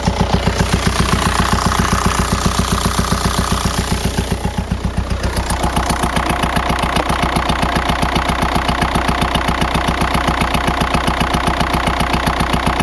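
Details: 2004 VW Jetta TDI PD diesel idling with a sharp, regular rap about twice a second, progressively worse over weeks until losing speed on highway grades; failed camshaft, not an exhaust leak.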